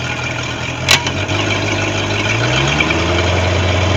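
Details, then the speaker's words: Boat engine (Tahoe) that had been sitting, running after a no-start traced to a breaker and a new impeller fitted: brief clatter at start, then steady, even idle with smooth low rumble, no knocks or misses. "But it starts and runs and seems to be okay."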